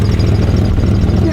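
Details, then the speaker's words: 1992 GMC Sonoma (OBD1) with almost 200,000 miles, idling fairly well with the check engine light off; deep, loud, blatty exhaust rumble at a lumpy idle because the catalytic converter has been cut off. "hear the exhaust we can also see that the cand converter has been cut off"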